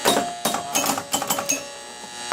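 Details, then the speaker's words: Captain Fantastic pinball machine during testing after shooter guide and wiring work: bursts of harsh buzzing and rattling clatter in irregular clumps over relay clicks; gate mechanism makes horrible noise, cause unknown. "the gate makes horrible noise but I'll open the great"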